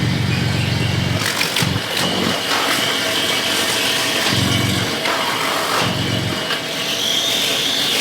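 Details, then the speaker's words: Off-road truck "Banana", started up: even idle, three clean rev blips settling back, full smooth exhaust with a little beef and no rasp or rattle; normal exhaust note. "nice that sounds so so good that is so much better give us oh she's back baby that sounds good got a little beef to it"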